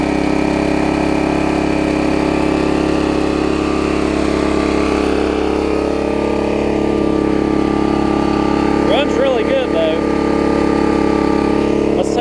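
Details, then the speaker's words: 1981 Snapper rear-engine rider, previously running fast with a broken governor and water in the fuel: engine holds a steady, even drone with no misses, pops or surging; running fine now. "so let me crank it back up we won't struggle this time I'm fairly confident here it is running fine now"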